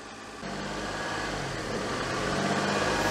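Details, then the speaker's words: Daihatsu Charade after an engine swap with a replaced inlet manifold: the idle climbs and hangs high with a hollow sucking hiss. The owner suspects a leak at the manifold gasket, since none was fitted. "that sounds a bit sucky something in to me now it's definitely idling high"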